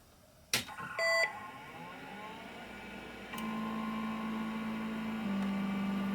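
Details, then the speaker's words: LaPine hard drive in a 1986 XT clone with DTK BIOS 2.26, same type as the bench drive: power-on clunk, a short beep, then a steady hum that rises to an even whine. A normal, healthy startup. "so i'm going gonna turn this on and you should get a sound here of what this sounds like it's identical to the to the one we have on the bench"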